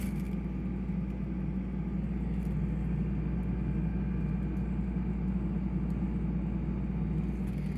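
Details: Retail-store refrigerator run on extension cords during an electrical failure; steady, even low hum with no knocking, rattling or cycling surges; the compressor is running normally.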